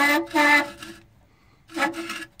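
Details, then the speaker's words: OMC Cobra 5.8 L marine engine, 1990 model, front of engine disassembled: water pump turned by hand gives two short bursts of dry, rasping metal-on-metal grinding, probably the worst-sounding bearing heard; worn, rough water pump bearing. "so we've got a combination of metal grinding metal sounds and to give my viewers an idea here this is probably the worst sounding bearing I've ever heard before it's bad"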